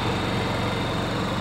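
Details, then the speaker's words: Honda EU7000 fuel-injected inverter generator, restarted after tripping its breaker at 7700 W, with all load switched off: smooth, even drone with a steady low hum and no knocks or surging; idles cleanly at no load. "so if we take all the load off of it this is what it sounds like with no load"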